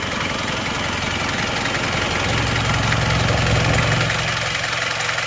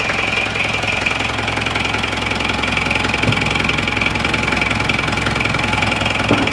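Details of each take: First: 1994 2.3 diesel, normal engine never rebuilt, slight smoke, air filter humming a little: even idle clatter with a low, smooth drone and no irregular knocks; sounds healthy. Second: Isuzu Panther diesel after NPR liner and piston ring rebuild, cold start: hard, sharp clatter at idle about 160 a minute; injection timing set too far advanced, to be retarded later.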